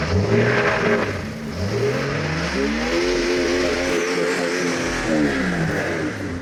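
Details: Jeep XJ just after replacing the exhaust manifold, gasket and downpipe. Starts and revs up and down smoothly, pitch climbing and falling cleanly with throttle, no ticking or leak puff; engine running healthy.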